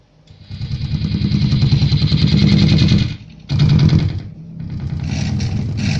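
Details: Platinum Pro Audio Sultan MA-350R power amplifier: low, uneven putt-putt pulsing like an idling engine, several beats a second, dropping out and returning; the amplifier is motorboating.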